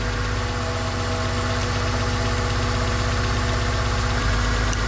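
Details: 2000 Honda Accord with flashing check engine light, running while coils are unplugged one at a time: idle stumbles with uneven lumpy beat, about four pulses a second; unplugging this coil drops the cylinder, so it was firing.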